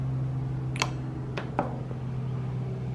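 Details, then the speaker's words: Omron LY2 DPDT relay switching a small fan from battery to power supply with trickle charge: steady fan hum, sharp relay clicks, fan keeps running after half-second interruption; normal relay changeover. "and there's only a half a second Interruption and the fan is still blowing now off the power supply and the trickle charge is now charging the battery"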